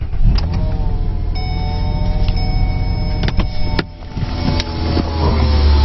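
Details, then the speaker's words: 2008 Mazda Tribute 3.0 L V6 at idle, before repair: steady whirring whine with chirps over the serpentine belt drive from a worn idler pulley bearing; fix was replacing the 203-FF bearing in the roughly 15 cm idler pulley. "I have some really bad pulley noise, like fan belt noise, and I'm going to see if I can fix it today."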